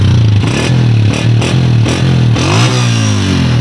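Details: Honda 125 motorcycle after replacing the exhaust gasket at the head, burnt through by a loose nut and causing a phat-phat leak sound: deep, steady thump with clean blips as revs rise and fall, no puffing; exhaust now sealed.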